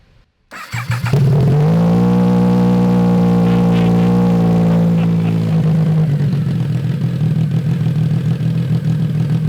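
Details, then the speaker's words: Triumph 955cc go-kart, abandoned and possibly sat outside, now running after electrical checks; catches after a second, strong even rev holds and eases down. Normal running and revving. "so this go-kart is still a complete mess but our Triumph 955 go-kart is a runner"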